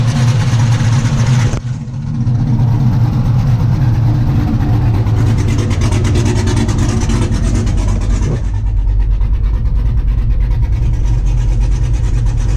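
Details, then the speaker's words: 1991 Camaro Z28 with 5.3 LS swap, TSP cam, Holley Sniper EFI and mufflers deleted for straight 3-inch two-into-one pipes dumping before the rear axle: deep, lumpy loping V8 idle, steady and even; running normally. "it's been an idol sounds pretty good but it's got i mean it definitely sounds like a 5'3 now"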